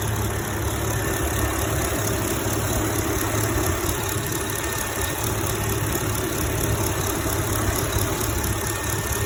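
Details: A 2011 Chevrolet Camaro SS V8 idles steadily with a fast, light ticking over the low rumble. The owner has been told it is a bad lifter, failing fuel injectors or normal, and suspects injectors; the cause is not confirmed.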